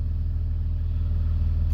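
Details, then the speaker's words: 2003 Dodge Grand Caravan 3.8 L, idling in Drive with the alternator wiring unplugged, after bucking at stops and erratic speedometer: smooth, even low rumble with no hum or surging; running normally, alternator suspected as cause. "everything's back to normal on an 01 to an 07 Grand Caravan or Town and Country"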